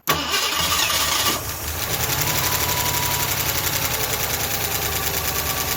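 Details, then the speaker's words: Ford LTD after all lifters were pulled and inspected: fires and settles to idle with fast, light ticking about four per second on top from all valves; valve train tap. "well that's valve train noise i'm going to go ahead and get my ratchet make it a little easier"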